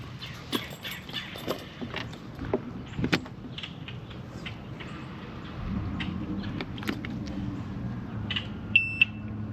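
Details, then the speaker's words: 1998 Evinrude 225hp Vindicator outboard, owner reports rough running, at key-on before starting: amid key and handling clatter, one short high-pitched beep; normal warning horn self-test, alarm working. "Okay, we got a working alarm. We heard the beep."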